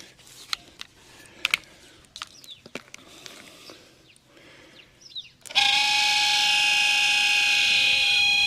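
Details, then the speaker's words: Holden HK new replacement heater box blower fan bench test: a few light clicks, then a loud, steady whining hum and harsh hiss; the fan is noisy. "Well, it's noisy, but I'm not going to pull it apart and try and fix it."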